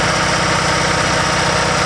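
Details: RevCon motorhome generator after sitting about 10 years with probably bad fuel, now with an oil change and two new spark plugs, running on Seafoam from a gas can for about ten minutes: loud, steady drone, even low pulse, no misses or surging.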